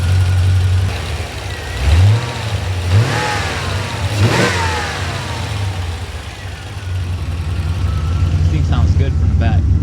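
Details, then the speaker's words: C4 Corvette V8 with Flowmaster exhaust, recorded from the rear right after its first oil change in over ten years: a deep, steady burble with an even firing beat and no ticking or knocking. Idle sounds healthy. "I'm gonna leave you guys back here so you can hear. This thing sounds so sick with the Flowmaster's exhaust. It sounds so good."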